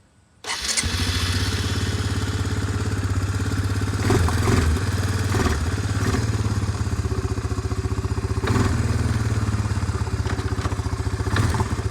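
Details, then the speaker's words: Suzuki Eiger 400 quad (about 2,000 miles, 340 hours) started after a replacement carburetor and fresh oil (three quarts): catches within half a second into a steady, even idle with a firm low thump and no misses; healthy. "here it is now it's running idling fine just changed out the oil in it"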